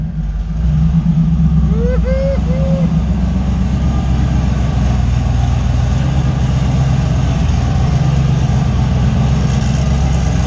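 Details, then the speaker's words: Fox body Mustang with 358W engine and 80mm turbo, after adding missing ground wires that had caused a no-start; deep, even rumble at steady idle with no misses, knocks or stumbles. Normal idle. "yeah beast is running and starting to the primary issue that I came here for was that it left Shane stranded in a parking lot couldn't figure out why it wouldn't start"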